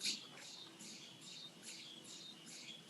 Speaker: and that's the sound of the what's called the cold head which kind of keeps that helium um super cool and captures any of the helium that boils off